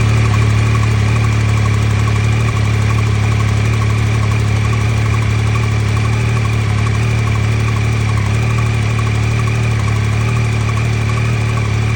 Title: 2023 YAMAHA XSR900 Cold Start Ticking Noise,Is this Normal ?